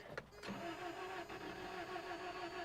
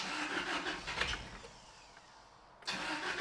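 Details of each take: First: 1993 Toyota pickup 22RE, 5-speed, non-running, overheated once or twice per seller: slow, uneven labored cranking with little bite between strokes, seemingly low compression. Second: 1993 Toyota pickup 22RE after moving the distributor one more tooth: cranks, catches and settles into steady even idle with no backfire or stumble; timing now right, normal start.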